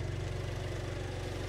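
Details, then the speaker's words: Cold start of a 46,000-mile salvage-auction car that arrived a non-runner, now running; raised automatic fast idle ("choke") with a steady, even low hum, no knocks or misses; normal cold-start fast idle. "that sounds like 46,000 mile car don't it yeah that's good let's let that automatic idle turn off I know I call it a choke and everyone laughs but that's what it is isn't it cold"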